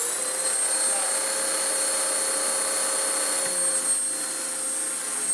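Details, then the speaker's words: Vax Power upright vacuum, height raised: steady high motor whine with faint drag and pitch dip partway as belt rides off and wraps round worn brush roll end, very warm. "No, we don't have all day waiting for it to break again. It's wrapped itself back around. Oh, that's very warm."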